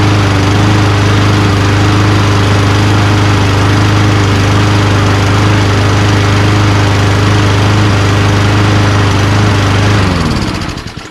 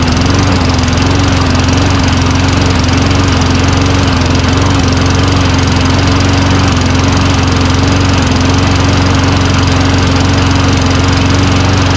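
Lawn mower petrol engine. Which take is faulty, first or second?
second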